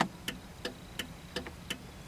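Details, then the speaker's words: 1995 Cadillac Fleetwood left turn signal after repairing the bulb socket: crisp even ticks about every third of a second, no speed-up when braking or with headlights on (previously blinked faster); normal flasher. "when I turn the blinker on it blinks at a steady pace like the right one and when I push on the brake the speed doesn't change"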